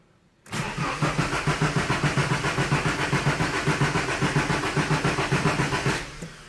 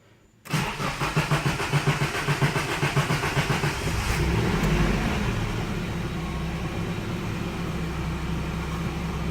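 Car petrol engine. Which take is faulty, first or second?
first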